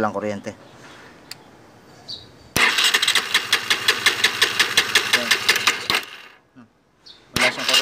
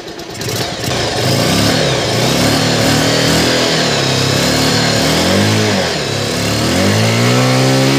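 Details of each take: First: R-180 motorcycle before repair, hard starting with no electrical power: steady cranking chug about three strokes a second, never catches; no spark from busted pulser coil, also a bad neutral sensor O-ring, both to be replaced. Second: R-180 motorcycle after replacing busted pulser coil and neutral sensor O-ring that caused hard starting and no electrical power: catches quickly, even single-cylinder beat with light throttle blips; running cleanly.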